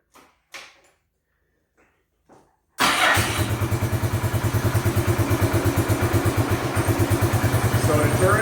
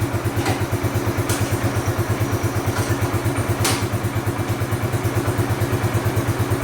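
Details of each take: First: Bombardier Quest 650 ATV that was hard to shift out of park because it sat partly in gear, started before turning down the carburetor idle knob: it catches after a few bumps and settles into a fast, steady idle of about three pulses a second; idle too high. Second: Bombardier Quest 650 ATV engine idling steady and even with no misses or hunting; the high idle had left it partly in gear and hard to shift out of park.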